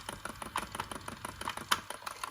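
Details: Sony WM-DD30 Walkman on rewind with a basic test cassette: rapid uneven ticking, about eight to ten clicks a second, over a light whirr. The cracked center gear is catching; the fix was a new center gear plus cleaning and relubing the mechanism.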